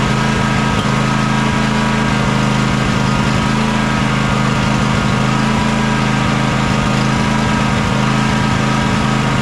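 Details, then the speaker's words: John Deere X300 riding mower idling warm after choke and carburetor work: steady, lumpy idle with occasional brief blips in the firing; suspected fuel contamination needing flushing, or carburetor-to-intake gasket air leak, unconfirmed. "it definitely runs good now runs better now but I still don't like the blips it's getting every now and again"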